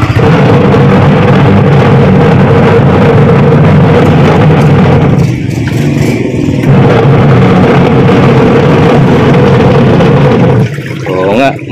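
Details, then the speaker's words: Washing machine that runs slow and noisy, plugged in and switched on for a check: loud motor drone with a rough whir at a slow, labouring spin, traced to a worn gearbox as the source of the noise and slow rotation. "Ah alam na natin kung anong problema so itong gearbox na to Ito ito to gearbox na yan na ang problema kaya na diyan nagmumula ang ingay tsaka bagal ng ikot"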